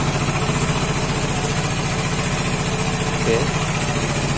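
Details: Vespa Matic scooter after no-start repair, charging 14.6 V with horn and headlight working: steady, even putter at idle with a regular beat and no misses or hunting; smooth, healthy idle.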